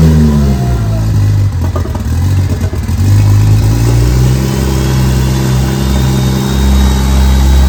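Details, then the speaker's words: Freshly built BMW 335xi engine, first start with no coolant, run briefly: strong, even low rumble that swells cleanly with each throttle blip and settles back; runs healthy and smooth. "all right boys we did it she's running running real good i'm not gonna let it run too long because there's no coolant in the system we'll go ahead and shut it off but she's running real nice"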